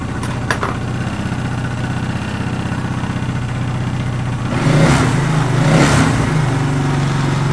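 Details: 1994 Suzuki Quadrunner 250 4×4, first start after years sitting, carb rebuilt and new air filter fitted: single-cylinder thumps at a steady idle, then two quick throttle blips pick up cleanly and settle back; it runs fine.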